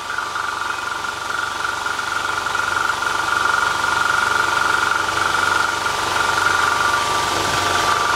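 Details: QUPB GT Max 800 W 220 V fan-cooled electric PCP compressor (max 310 bar) filling a 3 L scuba tank, nearly full toward 2500: quick, even pumping chug about four strokes a second under a steady high whine; normal running.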